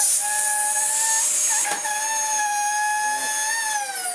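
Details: Dyson vacuum from a rescued batch, running: loud, shrill, steady whistle over the motor, shifting pitch slightly, because the suction release valve has tripped open; resetting the valve fixes it.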